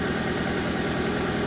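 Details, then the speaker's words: Engine just restarted after cylinder head rebuild (machine-shop shaved head, all exhaust valves replaced): smooth, even idle with a steady pulse and no stumble; earlier misfire is gone, oil circulating. "Good. Sounds amazing, actually. Oh yeah, the misfire's gone."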